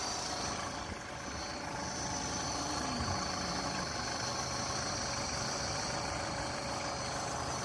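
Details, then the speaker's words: Yamaha F150 outboard at idle: an uneven, stumbling idle with a steady hiss, suspected to be an intake air leak near the manifold; the idle air control or throttle position sensor were also considered; unconfirmed. "Stumbling a little bit here. Yeah, it sounds like it's having a Sounds like an air leak in here."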